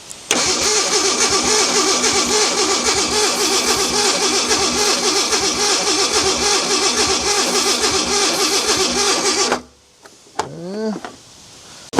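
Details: Abandoned Ford Bronco II, fuel state unknown, cranked with starting fluid: the starter churns steadily at about four turns a second for several seconds without catching, then stops; it cranks but won't start.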